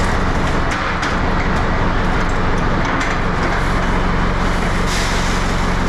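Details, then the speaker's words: Tractor pulling a harrow never used before during wheat sowing in wet conditions, top speed about 3–4 km/h; a heavy diesel drone with a dragging, uneven beat sagging under the pull, and the owner says it needs more horsepower. "bon vous l'entendez mais le tracteur il en peut plus ça demande trop de chevaux en fait"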